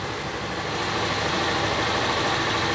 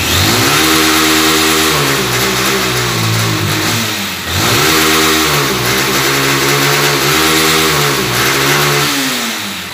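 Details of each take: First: Honda CG/Titan 160 motorcycle after restoring the TPS throttle position sensor that caused misfiring and no rev response: single-cylinder engine now idles steadily, no misfire, stumble or hunting. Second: Honda Titan CG 160 single-cylinder motorcycle: revving climbs, then stalls flat at a ceiling with misfiring and no top-end acceleration; throttle position sensor fault, to be restored without replacing parts.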